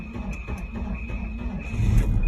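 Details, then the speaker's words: Volvo 940, first crank with a freshly charged battery: a brief low cranking churn, then the engine catches and swells into a steady running note; it starts and runs. "Oh, it starts. It just started. It just started. That's one car that runs. It runs. It runs."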